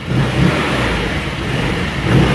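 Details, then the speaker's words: GY6 150cc scooter after an oil change, new fuel and vacuum lines, fresh fuel with the old tank drained, and carb tuned and rejetted for its air box. It revs cleanly and rises and falls smoothly with no stumble or bog. "So now it runs like a top."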